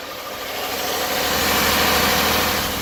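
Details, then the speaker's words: 2005 Honda Odyssey with multiple check-engine codes including stuck-on VCM, idling: steady idle with a dull uneven thud, felt through the tires; not necessarily engine knock, source unclear. "like a little bit of knock not necessarily engine knock but there is just a thud just a high-pitched thud coming from the engine and you can feel it through the tires"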